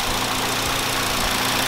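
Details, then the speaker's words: Hyundai YF Sonata shaking at idle after start: lumpy rough idle with a steady hiss, a cylinder misfiring because air leaks past a faulty intake manifold gasket, confirmed by spraying butane and water; rough idle misfire from vacuum leak. "You can see the engine shaking The engine shaking like this is called relief"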